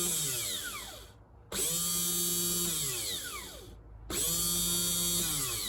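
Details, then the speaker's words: 1997 STX900 personal watercraft, bench test of a new replacement starter before fitting: two runs of a smooth, steady high whine falling in pitch as it winds down, quiet and healthy, unlike the old starter's bearing noise. "can hear it's nice and quiet we'll compare it now to this one since they're the same manufacturer"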